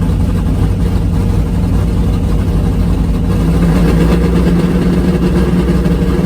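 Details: V8 drag car at full throttle on the strip, after swapping back to the old APD carburetor because the other carb surged as if fuel-starved (6.53 at 99 mph). Loud, deep roar pulls steadily with no stumble, surge or misfire; it runs much better.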